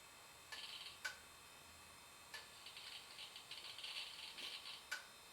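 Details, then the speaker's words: Hard drive in Digital PC 5000 Pentium II system: faint sharp clicks a few seconds apart with scratchy seeking chatter in a quiet room; failing to read, possibly damaged in shipping. "that that does not sound very good at all it may have been damaged in shipping that's also a possibility"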